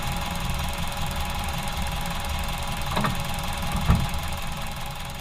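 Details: Ford Model A losing power with permanent misfiring after 3 minutes of driving: uneven lumpy rumble with sharp exhaust pops from a lean mixture, caused by a clogged fuel line.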